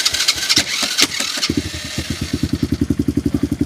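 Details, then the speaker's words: Tao Tao Coleman 125 ATV, after sitting, started cold without the choke on a new 28mm exhaust pipe and silencer, with the idle turned up earlier. Brief crank, then an even single-cylinder putter of about eight beats a second with a slightly throaty note; a clean, healthy start. "Oh, it started without a choke. So that pipe sounds pretty good. It's got a little throat to it."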